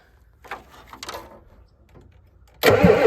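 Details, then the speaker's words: 1988 Ford F350 7.3 IDI diesel, sitting since the 1990s, 20s°F, valve held open to build fuel pressure: near silence and faint clicks, then half a second of loud starter cranking without catching; fuel later reaches the injection pump. "Let's go ahead and see if we can build us up some fuel pressure. So let me get something to press that valve, and then we'll crank her over and see what happens."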